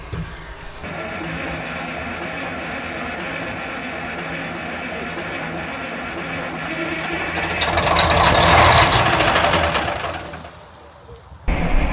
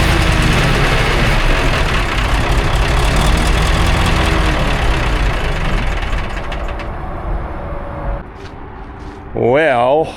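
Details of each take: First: 1960s military crane diesel, 81 original hours, long sitting, cranked with starting fluid after solenoid trouble: long steady churning crank about four beats a second, swelling briefly then dying back; not picking up fuel yet. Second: 1960s military crane diesel, 81 original hours, long sitting, after acting starved for fuel: deep, fairly steady idle rumble settling lower, no stumbling; normal idle, though a hydraulic leak remains.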